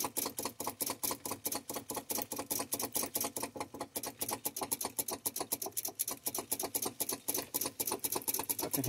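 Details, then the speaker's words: Volvo VNL with Cummins ISX, battery voltage present: fast even clicking about eight times a second with no cranking; owner suspects a failing starter needing replacement. "starter clicking down there no dice"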